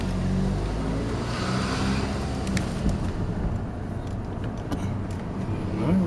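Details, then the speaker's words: Honda Civic 2.2 CTDI with rear wheel squeal, after removing and refitting the wheel (stone suspected, nuts possibly loose): slow roll with only tyre and road hum, no squeal or scraping; squeal gone. "the squirrel by now no more squeals definitely no squirrels that's it all right job done"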